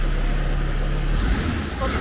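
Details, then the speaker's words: Fiat 147 engine swapped into a Fiat Fiorino: low, even idle, much smoother than before, with no harsh exhaust bark. A light buzzy rattle comes from loose, unmounted suspension parts vibrating. "much smoother, it was a scandalous engine. right on the camera engine starting silent"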